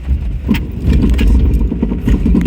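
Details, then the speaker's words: Holden Adventra descending a steep track at dusk, Burgoyne Track, Victoria High Country; low rapid grumbling pulses under the slow-descent rumble from hill descent control and ABS, sounding terrible but completely normal. "that is the hill descent and the ABS system on the adventurer completely normal sounds terrible apparently"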